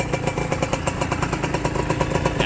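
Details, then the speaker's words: Honda NSR two-stroke motorcycle, square-headlight model, stainless DBS exhaust: quick, even idle popping about eight beats a second; idle setting is touchy, racing when set high and stalling when set low. "พอตั้งเร่งก็ตั้งเร่งเยอะไปพอตั้งเบามันก็จะดับ"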